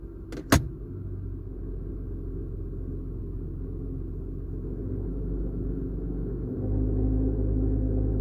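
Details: Automatic vehicle, cold start after drive-belt replacement: loose low rumble only in Drive or Reverse, gone in Neutral, louder when revs raised 100-200 RPM while left-foot braking; cause unknown.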